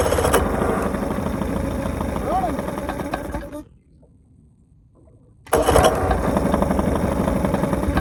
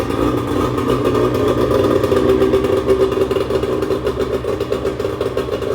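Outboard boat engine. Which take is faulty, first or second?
first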